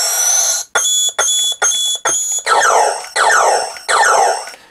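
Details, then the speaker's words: Vintage New Adventures of He-Man Power Sword toy after speaker repair and extra soldering: loud, repeating electronic siren-like tones in bursts with no pause; sound stays on after the button is released, button circuit fault unresolved. "The sound does work. In fact, it's now got louder. I did a few more sort of rebits of soldering, and now if I let go, you can hear."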